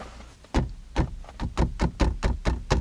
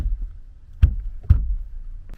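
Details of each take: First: Kia K9 rear (second-row) seat knocked by hand, giving a short hollow rattle from loose frame and wiring contact; owner reports noises over bumps, braking and cornering; rattle later removed. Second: Kia K9 interior after rattle-removal work on center monitor, gearbox console and rear seats: two firm dull fist thumps on trim with no buzz or rattle after, confirming the panels are now secure.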